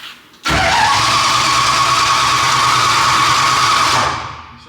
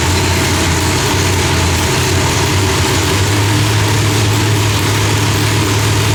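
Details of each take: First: Cold engine with cold oil and headers, cranked with the ignition off after fuel priming: about three and a half seconds of steady but slightly sluggish starter churning without firing; slow cranking, owner suspects low battery or the cold. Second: Deep, steady rumble from a big V8 at an even idle with no pops or backfires, ignition firing cleanly after the distributor trigger was switched from rising to falling; timing was about 6° off; different heads, idle still being fine-tuned.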